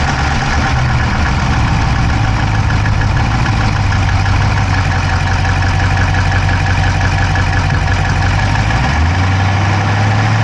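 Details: Dodge Charger Hemi V8 at steady low idle, recorded inside the driver's-side engine bay: a quick, light ticking that follows engine speed. No exhaust smoke, so the owner doubts a dropped valve; cause unconfirmed.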